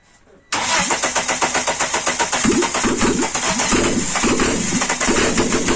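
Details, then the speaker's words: Mitsubishi Eclipse 2G first start after two years of rebuilding: a brief crank, then it catches instantly and settles into a fast, slightly uneven idle that still needs adjusting, with parts still to install. Normal start. "as you seen she is alive i still have to adjust the uh idol and all that"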